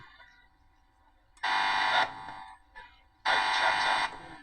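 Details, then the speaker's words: Howard Model 45 radio powered on: two loud buzz bursts about a second each when the loose tone control knob is touched; source unknown, owner suspects household interference. "You wonder what that buzzing noise is? It's something to do uh with something I got on in the house. I'm not sure what. It happens all the time."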